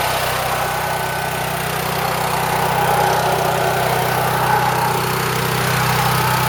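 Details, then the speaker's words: Champion Power Equipment generator (6,000 W running, 7,000 W peak), sat about 2 years, new battery. It runs loud and steady with an even single-cylinder drone and no surging or misses. The mechanic says Champions run lean. "it's running pretty good these Champions are okay generators they're not my choice of generator but yeah definitely loud"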